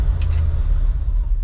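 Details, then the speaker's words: 1988 Chevy C30 square-body wrecker with throttle body injection; it catches and then sags and dies within seconds on startup but runs fine once going, and the owner suspects low fuel pressure or a dirty or stuck regulator in the throttle body. "nope there it is so once it's running it's fine it's just starting off the rib I don't know we'll have to go check that fuel pressure"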